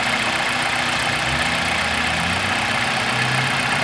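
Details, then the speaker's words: 2000 Toyota Celica GT 1.8L VVT-i after adding about two quarts to the low oil: a steady, smooth idle hum with no ticking or knocking; the valvetrain noise is cured and the idle is normal. "as you can see the engine is much smoother there's really no uh rallying noise or any uh valve trains knocking issues"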